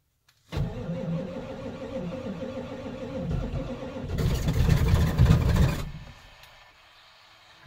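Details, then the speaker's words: 1990s Ford 7.3 Powerstroke diesel at about 8°F, sat unplugged about a week, glowed first; slow, labored cranking that never catches with thick oil. Owner suspects a glow plug or two: hard cold crank, no start. "[Laughter] she ain't happy it's not real happy fuel pumps actually still running so there's still oil pressure there you can see that on the gauge the oil is that thick see how that needles tick back up"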